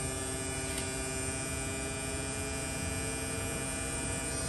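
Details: Replacement AC compressor on a mid-2018 Tesla Model 3 near the end of R134A recharge, with heat felt from the system: a steady, even hum with a faint high whine, no rattles or knocks; running smoothly.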